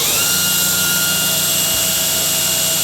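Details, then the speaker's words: Newly built 2x72 belt grinder with 6-inch wheel, mocked up: steady, even hum with clean high whistling tones and no knocks or rubbing; spins up and runs smoothly. "so it's running nice the adjustment button on there minute see how I barely changed that and it moves that's fine adjustment to it great control"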